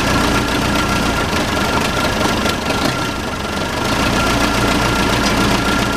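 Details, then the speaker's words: Case 580C backhoe diesel, sat 10 years, started with ether and no coolant: steady idle clatter, even beat about three and a half per second, no misses or knocks; runs healthy, normal diesel idle. "it runs. Sounds pretty good too."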